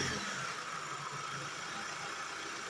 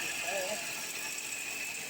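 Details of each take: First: Hyundai Sonata after replacing the belt tensioner and tensioner pulley (idler pulley not replaced), battery charged after a jump: one catch on startup, then a smooth idle with no rattle from the belt drive. Normal start and idle. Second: Hyundai Sonata, jump-started after sitting a while, at cold idle: a fast ratcheting rattle with thin squeaks that fades once it idles on; a worn timing belt tensioner and tensioner pulley, which were replaced.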